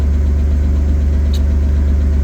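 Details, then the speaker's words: BMW E36 (non-Vanos engine) cold start after snow-drift attempt: heavy uneven low thrum with lumpy stumbling beat, slight knocking; rough idle with misfire, no power, owner thinks oil still cold; later fixed by tune-up. "the car started the engine doesn't sound too healthy right now let's be honest"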